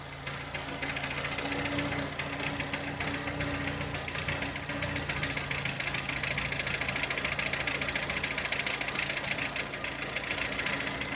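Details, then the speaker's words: VW Touran 2010, 1.6 BSE engine rebuilt about 15,000 ago (oversize pistons, valves, hydraulic lifters), cold after two days parked: dull irregular knock about three-four per second at idle below 1000 rpm, seemingly from the left side, fading as it warms; source unconfirmed. "Ощущение, как будто откуда-то с левой стороны стучит. По мере подевания он все тише и тише стучит."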